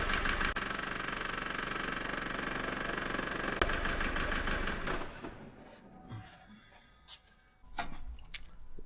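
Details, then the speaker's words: Diesel with long-unchanged fuel filter that had been cutting out, injector unplug test: clatters steadily then dies abruptly when number three injector is unplugged; number two no change, one and four slight change. "unplug number three it's just completely died so I'm going to try number four that's running on two"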